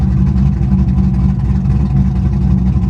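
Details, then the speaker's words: V8 at salvage auction, clutch car: deep uneven loping, jerky idle that cleans up with a little throttle, sounds cam-like; possibly related to missing cold air intake, cause unconfirmed; rough lopey idle. "oh my goodness guys the way this car lopes it's it the car is jerky but as soon as you get a little throttle it cleans right up it almost sounds like a daggum cam"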